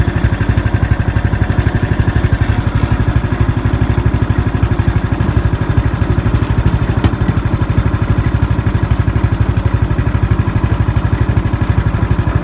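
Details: Murray riding lawn mower idling after replacing a faulty starter solenoid with a universal solenoid: even steady low thumping at constant pace with no misses or knocks; engine idles smoothly and healthy.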